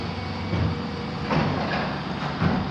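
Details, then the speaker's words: Wooden overhead garage door with metal frame during home inspection, electric opener running: loud heavy mechanical drone with a thump about once a second as door travels; opener very loud. "I know there's a bunch of noise over here, but this door is very loud."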